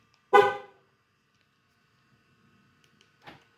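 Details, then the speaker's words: Dodge Challenger key fob after fitting a new 3.2-volt battery: one short sharp horn chirp right on the button press, then a fainter second; normal lock chirp, fob works every press. "there goes good battery works just like it should you don't have to push the button uh eight times"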